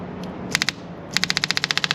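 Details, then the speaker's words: Electric fuel pump wired to the block of a Yamaha 115 hp two-stroke outboard, draining fuel after oil injection failure: rapid, even ticking about fifteen clicks a second after a few hesitant starts; pump running and priming normally. "You hear it starts pumping. As soon as you do that, sometimes like then it'll prime itself."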